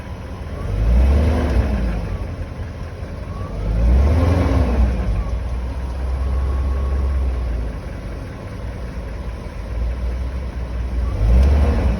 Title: 1998 BMW 540i Engine Knocking Noise